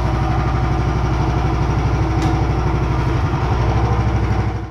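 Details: Small single-cylinder engine on a home-built machine after the pulleys were realigned for a poly-V belt and the motor moved back about 5 mm: a fairly even low thumping beat with no belt slap or squeal before shutdown. Normal running.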